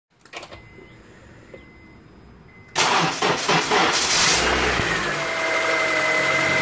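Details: 2005 Honda CR-V before transmission repair: engine fires up and a thin steady whine rises over the running noise; whine much quieter after the fix.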